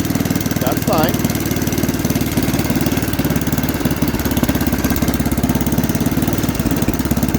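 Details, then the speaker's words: Cheap second-hand snowblower that had not run in a couple of years, with poor-quality oil, started on full choke; the owner suspected a governor issue. The small single-cylinder engine putters at a steady, even beat with no knocks or stumbles and runs healthy. "that's a fairly healthy sound and engine"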